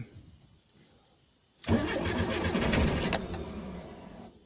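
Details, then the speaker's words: 1986 Renault Super 5 GTL 1.1 petrol, unstarted for months, second attempt with clutch pressed: the engine fires abruptly, runs rough for about a second and a half, then stalls. "Ok, elle a démarré, elle a calé. Donc, elle devrait démarrer. Après, je vous dis, ça fait des mois et des mois qu'elle n'a pas démarré."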